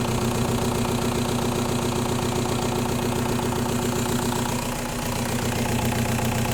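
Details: 1.9L TDI diesel with fuel problems: steady idle with a sharp, regular knock about two and a half times a second riding on top; diagnosed as faulty injectors.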